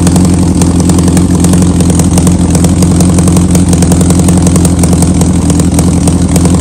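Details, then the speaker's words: 2003 Yamaha R1 project bike, sat a while, battery recharged: loud, fast ticking chuff over a strong steady idle, sounding like a knock but owner is sure it's the exhaust leaking from cracked headers, sparks visible; exhaust header leak. "it's going to really sound like that the motor is there's like a knock in there or something but it's not it's the exhaust 100%"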